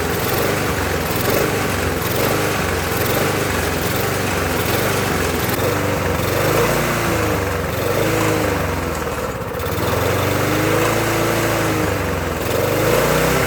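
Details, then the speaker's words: Murray mower with Briggs engine: hunts up and down every couple of seconds instead of holding speed; owner suspects loose intake drawing air, but intake later looked okay. "You know what it could be? Could be the intake. Let's take a look. Maybe the intake loose."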